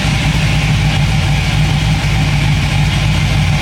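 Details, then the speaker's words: 1957 Chevy wagon V8 with newly installed Sloppy Mechanics stage 2 cam and custom tailpipes; deep, loud idle with a choppy lope about three beats a second, engine not shaking much, normal cam idle. "Sounds pretty wicked. We'll get it from the back. So sounds pretty good. Hey, Jack. Sounds pretty mean. Pretty wicked. The motor doesn't shake too much, so that's awesome."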